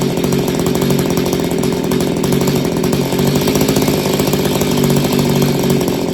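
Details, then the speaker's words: Roughly 30-year-old Mantis two-stroke tiller revived after sitting 10 years: runs steadily with a fast, even buzz, no misses or knocks, idling for a while; idle still needs slight adjustment, otherwise normal running. "I gotta mess with the idle a little bit, but did you hear it? That thing idles for a while, okay? And it runs great."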